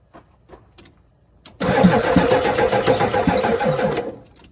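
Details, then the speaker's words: Ford 7.3 IDI diesel with jumper cables and battery charger attached: brief clicks then about two and a half seconds of labored, uneven cranking that fades without starting; hard starting being investigated with voltage drop tests on battery cables. "start that sounded better just needs a little little Spritz"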